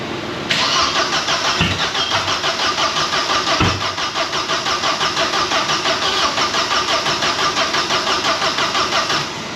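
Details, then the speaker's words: Opel/Vauxhall Cavalier GLS 2.0 16V Ecotec (X20XEV), previously locked solid and still immobilised, on booster pack: steady starter cranking about three turns a second with no firing; cranks but won't start, plugs soaked from overfuelling. "hmm plugs are absolutely soaking but we shall dry them out and try again"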